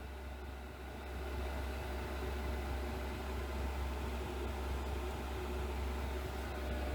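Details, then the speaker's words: Cheap Chinese diesel heater on a computer ATX power supply, running over an hour at full output in a shed, outlets over 120 degrees, case 50: steady low hum and smooth whoosh, no knocks or rattles, no leaks; working normally. "I haven't found any problems thus far. No fuel leaks, no strange noises, everything seems to be working perfectly."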